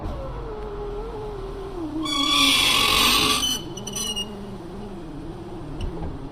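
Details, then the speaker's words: 2002 Honda Accord V6 coupe, driver-side window regulator before replacement. Wavering motor whine with a loud screech and scraping midway through travel: failing power window regulator. "today we're going to be replacing the driver's side window regulator here's what it sounds like right now"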